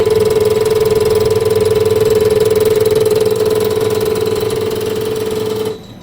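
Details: Mitsubishi Fuso Canter Euro 4 injector with a lapped Chinese-made valve on the test bench: crisp, even ticking about four per second over a steady hum, firing cleanly; test 1.8, max delivery 150 ml/min, return 12.1 ml/min.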